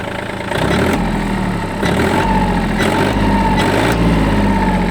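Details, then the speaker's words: Yanmar F180 4WD Japanese mini tractor diesel with only 122 engine hours, just started without problems: low chug settling into an even idle, no knocking or misfire; normal idle. "Двигатель работает просто отлично, что я вам, собственно, и собираюсь сейчас показать и доказать. Запустился без каких-либо проблем."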